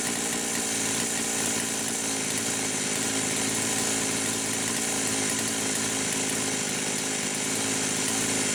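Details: Poulan Pro 525 (Pioneer P52-type) two-stroke chainsaw at full no-load revs, no bar fitted. It holds a high buzzing pitch as the governed carb engages and blubbers slightly. Mixture is about 1⅛ turns open and it may be lean.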